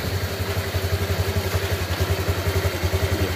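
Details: Honda Click 125 v3 just started after an engine reassembly with the cylinder head and gasket refitted, due to a persisting knocking noise. The radiator cap is off to bleed air. Steady low putter at idle with light valve clatter and no knock. Normal idle.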